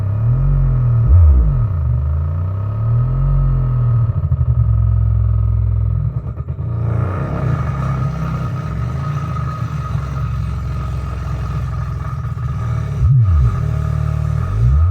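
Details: Pyle PLQB10 10-inch subwoofer after being blown, burning smell: bass sweeps break into a buzzy rattle on loud low notes, as if something is loose inside the speaker; blown subwoofer rattle.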